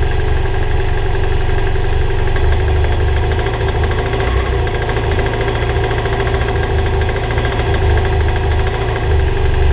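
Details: BMW F800GS twin idles with a dull, steady, weird knock suspected as piston slap; pistons and a conrod bearing were later replaced and the engine then sounded fine.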